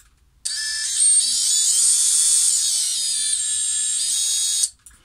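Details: Brushless FPV quad motor (Xing 2207) spun up before bearing replacement: sharp high whine holding steady about four seconds with rough edge; worn motor bearings, to be replaced with EZO 684ZZ.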